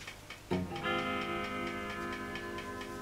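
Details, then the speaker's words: Fender Vibro King amp after replacing capacitor C7 with a 3 kV part to cure a loud roaring noise that came when warm, not yet warmed up: faint steady vibrato tick about three per second over quiet hum, no roar; normal. "no noise yet obviously we'll leave it a little while because the noise did only come after after it warmed up"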